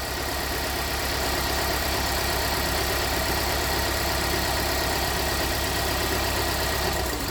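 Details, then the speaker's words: 2017 Hyundai Santa Fe Sport 2.4 with a P0301 misfire, cylinder 4 injector disabled in a scan-tool active test: the idle turns rough and loping with an uneven beat, changing significantly, while disabling cylinder 1 caused no change. "that changed significantly so number one didn't change"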